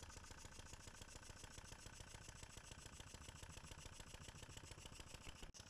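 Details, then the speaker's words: Stuart No.8 horizontal model steam engine after refurbishment, test run on compressed air with newly fitted oilers on main bearing caps filled and working; fast even puffing with light metallic tick, no knocks; normal running. "clip shows the engine running on air from above. I filled the oilers with oil before running the engine and they are working very well."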